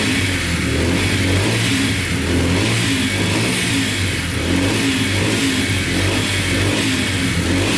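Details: Yamaha TTR125 dirt bike (believed 2003) after top and bottom end rebuild, following running out of oil; single revs up and down cleanly, crisp even exhaust beat, no ticking or knocking; sounds really good.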